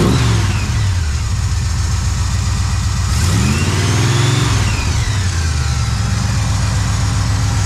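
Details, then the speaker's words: Hot rod after sorting a loose part behind a rattle/tick noise: deep steady idle blips up and settles evenly, no rattle or tick; muffler suspected as earlier noise source; normal running. "Sounds fine to me. Maybe it was the muffler some point in, like, a weird spot."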